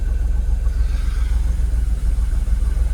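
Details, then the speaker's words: Jaguar XKR (X100) after fitting genuine used Denso coil packs on bank 1: low, even idle with a steady rumble and no misfire. The engine is in closed loop with no fault codes; normal idle. "I've got no Faults we're at a good Idol shortterm fuel long-term fuel short-term fuel bank two longterm still not showing yet"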